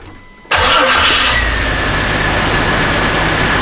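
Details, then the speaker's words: 1999 Jeep Cherokee XJ 4.0L after crankshaft position sensor replacement: catches almost instantly after a brief crank, faster than before, and settles into a steady, even idle; normal quick start. "all right there we go seems to be working and actually fires up a lot faster than it did before"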